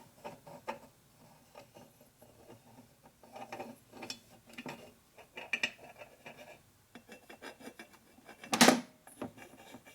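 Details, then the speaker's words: 1973 Harley 93ci stroker rebuild with standard panheads: dry, gritty scraping with each back-and-forth stroke of a rocker arm; its rough machined surface is digging in and should wear in. "that's almost the same noise on this side of those on this side it doesn't that's because the machine surfaces the arm is not very smooth so it's digging in a little bit and that's just going to have to wear in"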